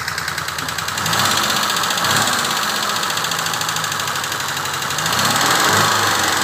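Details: Peugeot 304 engine idling and blipped twice, with a rapid rhythmic knocking or tapping that follows the revs; source unclear.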